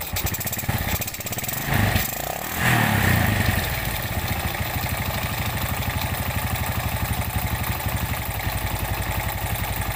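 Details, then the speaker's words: Suzuki Smash 110 single idling rough and lacking power, with a harsh uneven clatter about four beats per second over the exhaust; the finding is a damaged piston and a worn cam chain. "Selamat siang hari ini kita kedatangan Suzuki Smash 110 di mana kondisi permasalahan seperti yang kita dengarkan di awal Tadi suaranya kasar"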